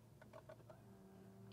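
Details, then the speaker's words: 1994 Mercedes-Benz SL320 (R129, 3.2 L M104 inline-six), key turned in ignition before starting: faint steady electric hum of the fuel pump priming, audible from outside the car, working normally. "what are you going to here that's a fuel pump it's working outside and it's making noise that's cool especially you can hear that noise from outside means the car is working means it is alive and it's running smooth there is no misfire nothing going on"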